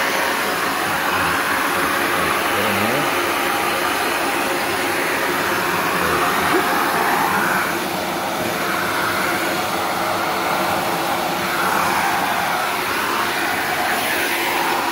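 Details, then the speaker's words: Shark NV355 upright vacuum about three years old, converted to handheld mode; steady, even rushing airflow without surging, rattle or whine; strong, normal suction airflow. "all right listen to that flow [Applause] sounds like a lot of flow"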